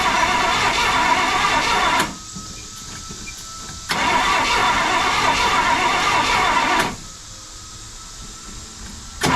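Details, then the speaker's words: 1968 Pontiac LeMans sat 23 years, first start attempt, new HEI distributor, coil and rotor, points not filed, getting fuel: two long even cranking bursts with no catch; sounds like no spark. "almost sounds like it doesn't have any spark"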